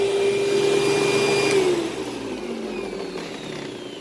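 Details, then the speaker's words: Older Panasonic paper-bag upright vacuum, bag about a third full, strong suction: steady motor whine sags and drops in pitch as the brush slows; the worn drive belt is slipping and needs replacing. "i could tell the belt was starting to slip i could hear the belt slipping so it obviously needs a new belt and i could kind of feel the brush stop and slow down a little bit so it does need a new belt"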